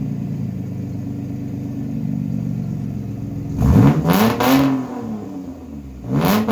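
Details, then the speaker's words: Mitsubishi Eclipse 3.0 V6, straight-piped, after timing belt and water pump change: loud idle, lumpy and uneven, stumbling through a few rough revs. Rear cam timing off by one tooth. "Whatever I changed the timing belt and the water pump in it, it's off by one tooth in the rear cam, so I'll make that as a separate video. So it's the rear cam in the back, it's off by one tooth."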